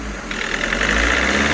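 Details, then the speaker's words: VW Vento turbo diesel idling with injector knocking, worse with AC on, during a roughly 15-minute injector-knock correction procedure: light quick tik-tik ticking over low engine hum, expected to clear itself. "ਤੁਸੀਂ ਦੇਖ ਸਕਦੇ ਹੋ ਜਿਹੜੀ ਟਿਕ ਟਿਕ ਦੀ ਆਵਾਜ ਆਉਂਦੀ ਆ ਇਹ ਇੰਜਕਟਰ ਨੋਕਿੰਗ ਆ ਇਹ ਆਪਣੇ ਆਪ ਖਤਮ ਹੋ ਜਾਣੀ ਆ"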